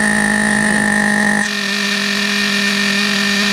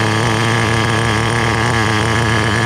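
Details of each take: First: Vintage Team Associated Nitro TC3 under restoration, OS LC4 medium glow plug, after fuel tank over-pressure. High steady scream at constant revs, then pitch sags and it dies abruptly. Loose cooling head suspected, not confirmed. Engine cutting out. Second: Restored vintage Team Associated TC3 nitro engine, no more fuel tank bubbling: a loud, steady high-pitched buzz under acceleration without sputtering. It runs okay, though the motor is a little warm and tank performance is still questioned.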